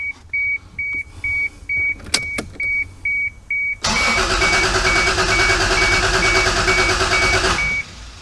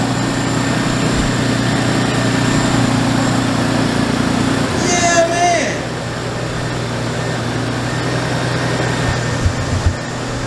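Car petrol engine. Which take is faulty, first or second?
first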